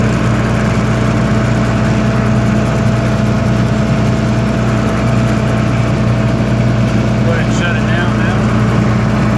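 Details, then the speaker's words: 1995 Libby MEP-804A 15 kW military generator, 4-cylinder liquid-cooled Isuzu diesel governed at 1800 rpm, 2010 rebuild, 688 hours, started cold: steady, even drone with clean unwavering hum, no knocks or misses; runs healthy. "as you can hear it runs great no unusual noises whatsoever no leaks"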